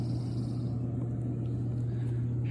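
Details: Softub 220 pump after installing two 50V 10mF capacitors at the temperature sensor leads to fix temperature fluctuations and short cycling; set at 102°F with water at 99°F, a steady low hum at an even level, running and heating normally.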